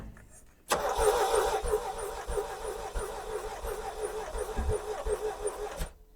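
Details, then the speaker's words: 1981 Chevrolet Chevette, warm sunny day, jumped from a truck with cables: slow, uneven cranking about three turns a second with scattered exhaust pops, trying to backfire, never catches; owner believes it's firing, possibly on three cylinders. "Okay, she's like trying to backfire out the exhaust."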